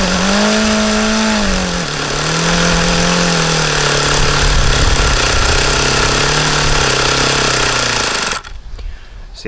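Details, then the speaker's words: HP VT 21 rotary-valve four-stroke model glow engine: high, wandering idle around a steady buzz, pitch sagging and recovering, then cuts out. Owner believes the low end is still rich and keeps leaning the low-speed needle. "get it to go lower as long as I kept an eye on there like it's still rich that's why I was going leaner on this low speed because that's what that seems to indicate"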